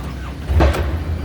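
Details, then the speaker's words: John Deere loader that was cranking without starting: with the key one click forward and the fuel shutoff solenoid pushed in by hand, a brief crank catches into a steady low rumble. This suggests a failing fuel shutoff solenoid. "and there it goes fired right up"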